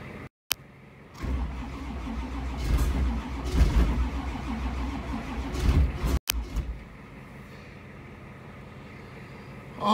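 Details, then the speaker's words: 1985 Camaro Z28 cold start attempt on jumper cables and charger: slow, uneven cranking bursts with pauses and no catch; engine turns weakly, owner thinks the starter is failing. "God, that sounds bad. It just does not want it. I don't think my starter wants it anymore either."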